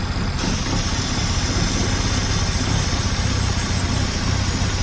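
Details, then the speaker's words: Chevy Equinox 2.4 that won't idle and dies: idles up briefly after start, then a low lumpy, stumbling idle; brake cleaner sprayed at the intake smooths it, pointing to a leaking gasket on the intake's back side. "It's running real rough. And then you put the brake cleaner on there, and then it gets the appropriate amount of fuel sucked in through the gasket that's leaking on the back side of the intake, and it starts smoothing out. So that tells me that I got a bad intake."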